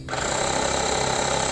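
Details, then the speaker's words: YANTU cordless 12V air compressor on 12V DC through its thin power cord, pumping up from about 32.5 psi; steady, even buzzing pump beat with no knocks, slightly slower than on battery but pumping normally. "You hear it's a little bit slower running on that 12 volt DC with this thin power cord, slower than it was with the battery, but still pumping up."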